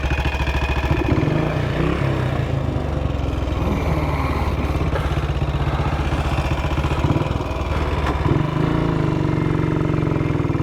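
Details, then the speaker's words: 1959 BSA at 7°C thumping at low revs with irregular sharp pops. The owner reckons the ignition key had fallen halfway between on and off, making the ignition trip out. Backfiring. "So, that was backfiring, and I thought, oh God, Dave, have you put diesel in it?"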